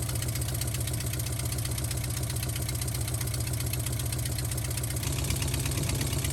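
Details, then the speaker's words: Vintage C30 RV after new exhaust manifold gaskets: low, lumpy idle with an uneven knock of two or three beats a second; rough running, a bad valve suspected from a paper-at-the-exhaust test. "when you put the paper up there if it ever sucks it back in it's a bad valve because it's it's not able to to gas it that cylinder is literally pulling air back in"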